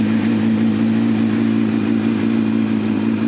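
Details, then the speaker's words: Budget motorbike after valve clearances done and cam chain tensioned, said to be a bit low on power: smooth, even mid-pitched hum, no ticking or rattle from the top end; runs sweetly, normal running. "Sounds sweet as a nut, mate. Nothing wrong with it. But listen to that, sounds sweet as a nut."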